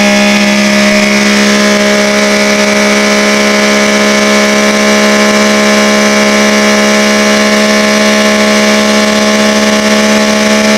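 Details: OMC Johnson 175 hp outboard on dyno at full load: loud steady high tone never climbing in speed, power pack forcing slow/limp mode; customer's symptoms had suggested fuel starvation.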